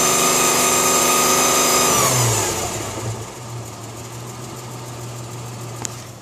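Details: Isuzu Rodeo engine being revved with a loud, high steady whine over it that sinks away as revs fall to idle; cause unknown.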